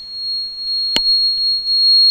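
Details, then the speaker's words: Gas conversion ECU diagnosis, running on gas, gas injector 3 deliberately disconnected: steady high-pitched tone from the gas switch, its alarm for injector 3 open load, no injector signal; open-circuit warning buzzer. "now you hear that uh switch is uh playing this sound and U as you see here gas injector 3 is in open load"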